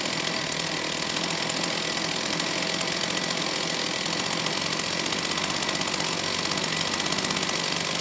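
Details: STIHL 028 AV Super chainsaw, rebuilt with non-OEM parts after straight-gas burnup; at high idle, choke off, high-pitched buzz wavers and won't settle, poor response off idle, slightly lean at high speed; crankcase air leak leaning mixture.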